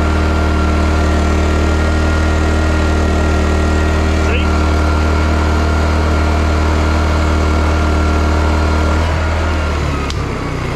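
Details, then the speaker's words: Serviced petrol generator under heavy load from a 2000-watt hot gun, drawing about 1700 watts at 7.2 amps: steady, even low drone holding speed with no hunting or misfire; running healthy. "so even though i'll put say a 1700 watts and i'm 7.2 ampere so it's looking good on hot gun"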